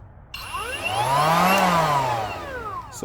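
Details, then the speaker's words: Kobalt 24V cordless planer just after its double-sided blades were removed and reinstalled: the motor spins up to a high whine and coasts down with a faint wobble in the tone. Slight vibration on startup; the blades seemed set too shallow. "all right the blades are back in guys but when i start it up there's a little bit of a vibration you can hear this"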